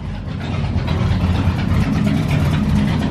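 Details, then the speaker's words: Pontiac Catalina right after repairing an exhaust leak, engine revving: deep, even exhaust note climbing smoothly, no ticking or puffing at joints; sounds much better without the leak rattling, exhaust sealed and normal. "oh it sounds so much better oh my god that sounds way better without that exhaust leak just rattling away"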